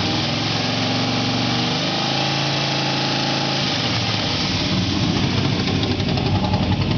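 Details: Truck at startup after sitting: a busy, rough clatter over the idle that changes character partway through. Abnormal engine noise, source not identified.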